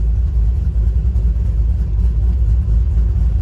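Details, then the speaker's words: 2006 Toyota Tacoma 4x4 with swapped 6.0 LQ4 V8 (from 2001 Silverado 2500 HD), highly modified, aftermarket performance camshaft; customer reports rough idle and stalling, no engine codes. Deep uneven choppy lope at idle without stalling; big cam may be a factor. "So it may have problems idling just because it's got a pretty big cam in there, so that might be a factor."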